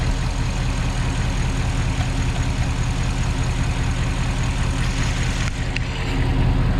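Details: Porsche Cayenne Turbo 957, cold engine at idle: steady low rumble with a quick, fairly even pulsing on top; abnormal cold-start noise, cause not confirmed.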